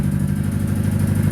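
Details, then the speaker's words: About 30-year-old Italian-built Chrysler petrol engine, odometer showing 70,094 miles, just after starting: a low, uneven chugging idle that stumbles, a misfire that soon gets worse; new spark plugs planned, cause not confirmed. "and go and start it up misfiring a little bit still"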